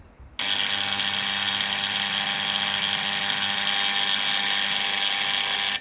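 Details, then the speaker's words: Antenna rotator on the bench: steady high motor buzz and gear whir while the top plate spins with its bolts out; a brake on one side is seized, possibly from dried grease, and jams the mechanism once bolted. "if I put the bolts back in I bet you it won't soon so it sparked this mechanism here he's jammed up"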